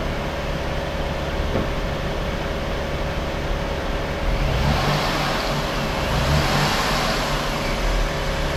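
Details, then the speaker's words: 2005 Jeep Grand Cherokee Laredo after replacing serpentine belt and belt tensioner/idler pulley: smooth steady idle, then a clean rev that settles with no squeal or chirp from the belt drive; earlier noise gone. "See how she sound all back. Got to turn my cooling off and stuff, but see I don't hear anymore. Rev it just to see."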